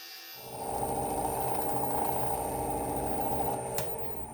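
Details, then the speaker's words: Juniper bowl on a wood lathe, sanded to 320 with two coats of sanding sealer, before polishing paste: soft rhythmic thumping, about four beats a second, over the lathe hum; the bowl is going out of round again. "If you guys can hear that jumping there, this thing's already getting out of round on me again."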